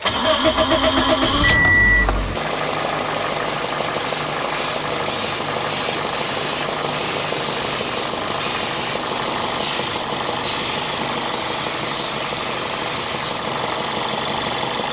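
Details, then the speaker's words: 2005 Toyota Matrix 1.8L with over 400k miles and code P0171, MAF cleaned, idling while carb cleaner is sprayed around the intake manifold with no change: it catches and settles into an uneven, lumpy idle; rough idle, no misfires. "Now, this definitely does sound a little rough, like it probably is in need of a tune-up, but outside of that, I mean, we don't have any misfires or anything."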